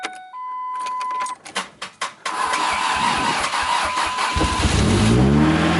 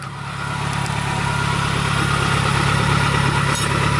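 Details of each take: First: Truck's first start after an engine reinstall, manual clutch, treated old fuel, primed fuel pump: brief cranks, then a smooth healthy start; early smoke came from assembly oil burning off. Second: First start after reinstalling the engine and transmission: steady, deep, raspy idle, louder and more open than stock, with a normal long-standing ticking; the exhaust has no muffler and is open after the cat, with no knocks.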